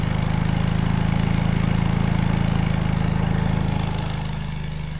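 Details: 1960s General Supply 260 air compressor on a Kaiser Willys CJ2A engine with a new electronic distributor, timing tweaked by ear: even, deep thumping with no misses or rattles, easing slightly as load drops. Normal running under load.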